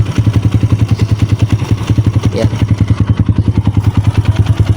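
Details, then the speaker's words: Kawasaki KLX150 after overhaul (new connecting rod and side bearing, rebore): steady single-cylinder idle with an even light tick about three times a second from the clutch-side spring, normal for this model; engine otherwise good. "Yung dito sa clutch side, yan yung sa spring nya. Normally isa yan sa mga GLX."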